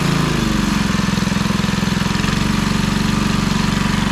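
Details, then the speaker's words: Briggs & Stratton 3hp IC Model 80212 four-stroke on a Masport rotavator, warming up for 5 minutes at fast idle, not at full speed; a steady, even putter with no misses or knocks, healthy. "I just running for a little while 5 minutes the warm it through see if I got any problems"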